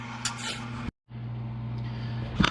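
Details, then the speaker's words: GE Profile Opal 2.0 XL nugget ice maker after its failed pump was replaced with a new 12V submersible pump. Even low motor hum at a steady pitch, briefly cut off, then back with light rattles; running normally and making ice again. "All right, guys, got it all put back together, pump's in it, and she's making ice."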